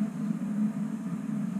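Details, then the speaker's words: Homemade waste oil heater ver 3.0 burner running on vegetable oil, drip-fed about once a second, at 700–800 degrees, with door sealed and extra air holes in the air hats; a steady, low, even roar with gentle swells, no popping or sputtering; normal clean burn. "it's unbelievable how much better it performs with the door sealed and the extra air holes in the air hat"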